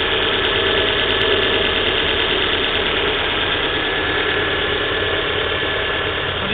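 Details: Volvo V40 1.6 cold shortly after start: busy, uneven ticking chatter over a steady idle; timing belt recently changed and judged fine, owner thinks noise comes from the middle area of the engine, source unclear.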